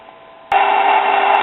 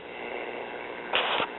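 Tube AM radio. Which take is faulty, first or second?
first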